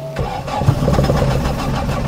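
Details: 1991 Honda Civic EF with B18 swap and turbo, cold wet weather, water on the ECU: engine cranks, catches unevenly and stumbles into a rough, uneven idle; hard starting, owner suspects the wet ECU.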